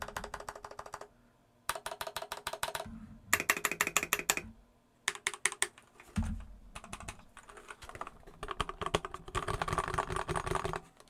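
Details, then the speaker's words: Epomaker EP84 keyboard, stock Gateron Black switches with blue keycaps: rapid uneven key clacks with a thin metallic ring trailing each stroke; stock switch springs pinging. "a lot of ping in there. It came with black switches."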